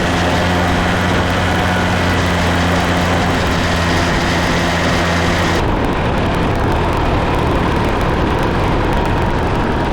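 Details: Case 188D diesel backhoe tractor after a year-long rebuild, driving on a four-mile road trip, good oil pressure and water temperature: deep, even drone with steady road noise, pulling smoothly, no knocks or misses; normal running under load.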